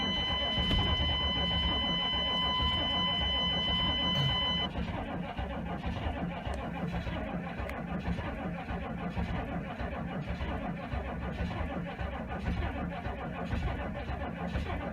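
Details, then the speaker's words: 6.5L turbo diesel dually, cold start in snow with no block heater: sluggish labored cranking about three pulses a second, not catching despite two new batteries; owner suspects the very old starter and missing big-three/starter wire upgrade. "she's not cranking fast there's two brand new batteries in here auto craft Gold's so who's that they weren't cranking or too fast though it could be because it's really old starter that could be it"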